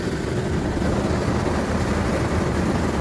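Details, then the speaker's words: 2002 Chevy S-10 4.3 Vortec V6 idling after starter replacement: steady, even low rumble with no knocks, misses or whine; engine idles smoothly and sounds healthy. ">> It sounds good. >> Sounds good. >> I'm satisfied."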